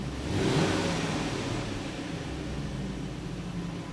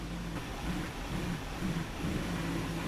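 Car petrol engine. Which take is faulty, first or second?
second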